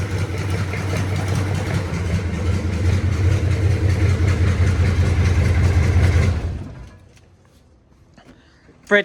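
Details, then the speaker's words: 1983 K5 Blazer with a swapped 6.2 diesel, restart after glow plugs: it fires quickly and settles into a smooth, even idle clatter for several seconds before being shut off. It restarts and idles healthy. "Okay. it cranked and it ran beautifully at 40 lbs oil pressure."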